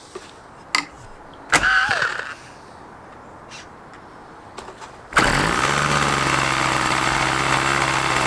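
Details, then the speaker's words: OS LA40 nitro glow engine in a Balsa Max Thrust Trainer RC plane, eBay purchase stored for months, first start; after handling it catches on one turn and holds a high steady buzz without misfiring, initially run a bit rich then leaned. "Wow first time fired up can you believe that I mean wow I mean she's been sitting in the hanger for a few months now and everything else one turn and she fired up I am so impressed with that"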